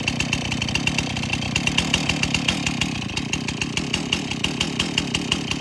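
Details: Stihl MS271 chainsaw after a tune-up kit service for rough idle and stalling: the small two-stroke engine now holds a steady, even idle with a crisp regular beat and no stumbling.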